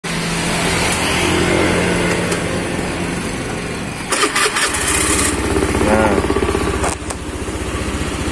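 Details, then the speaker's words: Honda Beat FI scooter after engine teardown for rough starter, running: starts and settles into a steady, even single-cylinder putter with no knocks or rattles; engine sounds smooth and healthy, normal running. "Oke, suara mesinnya halus."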